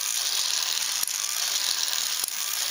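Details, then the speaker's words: Ornithopter gear train, unoiled and untuned straight off the CNC machine, turning slowly: light, even whir with a sharp click about every second as the glide locks engage; normal operation. "and again that clicking is just the glide walk engaging"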